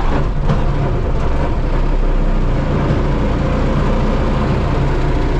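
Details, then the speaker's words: 1978 S2600 diesel truck after 5°F overnight, about 17°F now, no glow plugs: deep, steady rumble with even firing, no misfire or knock, started better than expected; normal cold-start idle. "started better than i expected it's cold though so no glub glow plugs um it does have two block heaters"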